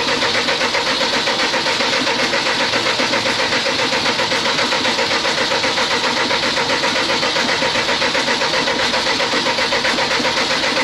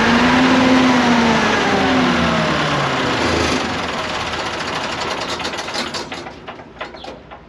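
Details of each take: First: CAT (Perkins) C4.4 diesel: steady starter cranking about four beats a second that never fires; injectors leaking back about 90 mL per 30 s versus 25 mL maximum spec, so no start; injectors need replacing. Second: CAT (Perkins) C4.4 diesel after injector replacement for a crank-no-start caused by too much fuel bypassing the injectors: engine catches and settles into an even, fast-ticking run, about 220 beats a minute, fading smoothly; a clean, healthy start.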